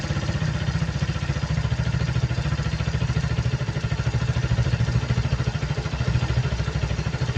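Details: Suzuki Hayate scooter with a cracked vacuum hose: steady, even low putter with quick regular firing pulses, no misses or surging; idle speed rises when the cracked hose leaks and slows and smooths when it is blocked.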